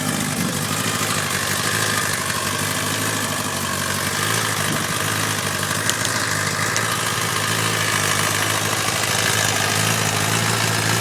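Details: 2011 Kawasaki ZX10 inline-four at 4000 km rattles at idle and 4000-4500 rpm; dry, uneven metallic rattle from the cam chain tensioner, which was replaced and the sound was gone.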